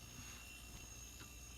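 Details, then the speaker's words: Haier 10.1 fridge in a camper that wasn't cooling and only clicked, after connecting the cords: quiet even low hum with faint steady high tone, no clicking; compressor now running normally, just starting up. "a lot more noise than it made before it would just click before it sounds like a fridge now"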